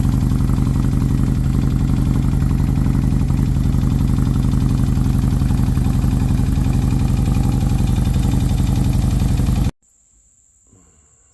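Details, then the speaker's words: Harley-Davidson M8 Electric Glide V-twin at idle; fast, fairly regular tick about three per second riding on the beat, traced by mechanic's stethoscope to the front rocker box (owner first suspected the primary). Valvetrain tick, cause not confirmed. "I developed a knock in the motor, or a tick. I couldn't tell where it was coming from."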